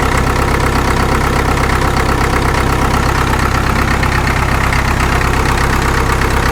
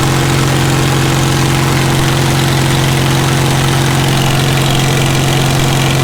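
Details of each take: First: Caterpillar D2 #5J1113 diesel after replacing the leaking number 4 injector with another: steady, even idle with a regular low chug and no stray pops; intermittent pop gone, running cleanly. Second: Caterpillar D2 #5J1113 diesel, engine not fully broken in, idling with a return-port injector test: steady low idle with an uneven knock near two per second and an intermittent pop; number 4 injector overflows with fuel, internal leakage.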